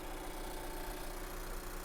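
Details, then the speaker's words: Scion iA idling at an auction lot walk-around. A quiet, even low hum with no misses or knocks, a smooth healthy idle with slight engine shake; mounts are suggested as an easy fix. "as far as the engine goes it's pretty smooth I mean there is a little bit of a shake to it easy to change your mounts right there"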